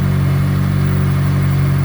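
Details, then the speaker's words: 2004 Honda S2000 after rod bearing replacement via oil pan removal, started on a jump box with 5W30 oil: smooth, even low idle with no rod knock; normal idle. "But we put the jump box on there and fired it up, and now, as you can hear, no rod knock."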